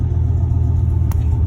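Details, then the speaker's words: 1996 Chevy Silverado OBS V8, very cold, after cleaning the idle air control valve: deep, even rumble with steady pulses, no stumble or sag; cold engine running clean and healthy, hot-rod sound. "see it's super cold [Music] i think it sounds like a hot rod sound pretty good drives pretty good too"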